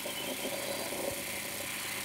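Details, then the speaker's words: Brenell Mark 5 Series 2 reel-to-reel tape recorder from the 1960s rewinding tape fast: smooth, even whir of spooling with no scraping or squeal; healthy transport, normal rewind. "so uh yeah let me rewind this tape actually that noise is so old school isn't it"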